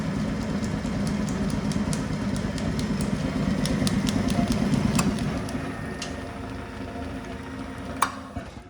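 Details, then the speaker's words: Bennett Model 450 twin clock face gas pump, built around 1932, barn find idle 40+ years, pumps switched on after repairs: steady low hum with soft even pulse about three times a second and light clicks; motor runs healthy. "Right hand pump on. Left pump on. She sounds healthy. It's amazing after all these years that this unit can actually run again."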